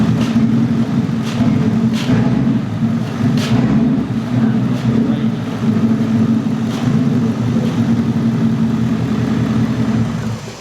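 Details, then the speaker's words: Wrecked Mustang GT V8 (salvage car sold as not drivable), first start: steady rumble with a short puff of air on each throttle blip, heard from the top of the engine, thought to be near the throttle body rather than the intake manifold; source unknown. "Calvin's hearing like a puff of air. Here, show him, Cal. Every time he pushes the gas, I hear a little puff, a puff, like that. And it sounds like it comes from like the top of the engine."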